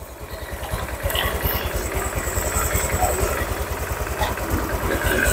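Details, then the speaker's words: Honda Vario 150 scooter engine reassembled after overheating, fast coolant loss, oil loss and rough running; idling while warming so the thermostat opens and coolant circulates, reservoir filled, watching level drop and for leaks. Steady low single-cylinder putter, no knocks or rattles; normal idle. "ya tunggu beberapa menit kan hidupkan tunggu beberapa ee tunggu beberapa menit biar terbuka seperti ini ya"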